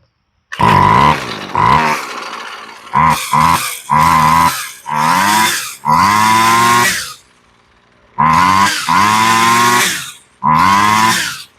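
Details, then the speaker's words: Husqvarna 128LD two-stroke trimmer after a carburetor rebuild, choke off: crisp, buzzy blips rising and falling with the throttle, each rev clean with no stumbling, idling nice and steady. Normal running. "Sounds really good. It's idling nice and steady. Sounds good."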